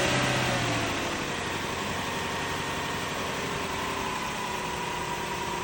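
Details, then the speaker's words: 2002 Lexus LS430 idling with the accessory belt removed (alternator not driven): smooth steady idle, even low hum, much quieter, no whistle or whine on top. "Now it is much quieter, much quieter."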